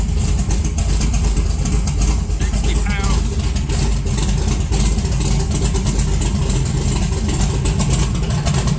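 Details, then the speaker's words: 1982 Chevy S10 running cold with 60 psi oil pressure: a loud, lumpy idle with an uneven low beat that stumbles now and then, running rougher with raised rpm; misfire, suspected bad plug wire or vacuum leak, not confirmed. "It's definitely misfiring. So maybe it's got a bad wire."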